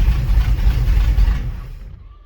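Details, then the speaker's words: Pontiac Ventura V8 with a cam and an Edelbrock carburetor, first start after 3 years on 3-year-old fuel: a deep, loud idle with a lumpy, uneven chop that dies away. Rough idle; the owner suspects the carb needs rebuilding and is flooding it with fuel. "Might have to do something with the idle on this. It's got a cam in it, but it sounds like it's running kind of"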